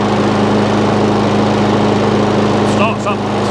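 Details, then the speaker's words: Hayter 56 lawnmower bought as non-running, hand-choked then run off choke: it catches and settles into a steady, even run with a clean hum and no misfire. The engine is healthy, though the drive does not work. "absolutely lovely which these do as long as they're choking fine then uh they start up lovely"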